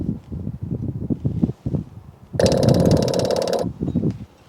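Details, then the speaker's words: Replacement cheap electric clicky-clack fuel pump for an asphalt roller that wouldn't start due to failed fuel pump, bench-tested on battery; quick irregular clicking about four a second with brief buzz: pump working normally. "Hear that? That's what a clicky clack is supposed to do. It's supposed to click and clack."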